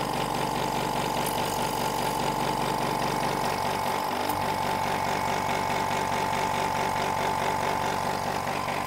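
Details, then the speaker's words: Hyundai SAC 55751 silent (59 dB) compressor running with the intake filter tube removed: steady loud buzzing with a harsh hiss and fast, fairly even pulsing, noticeably louder than with the tube; loud intake noise. "I wanted to show uh how it sounds when you uh when you remove that tube it makes a lot of a difference I was surprised"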